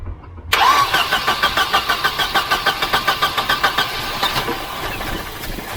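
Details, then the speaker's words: Volvo 244 redblock, previously a no-crank after sitting parked. After electrical and earth checks (the car has had a new starter), the starter cranks in even pulses about three a second, then the engine catches and idles. Start called a success. "uh it must have been idling there about 150 rpm so i'd call that a success"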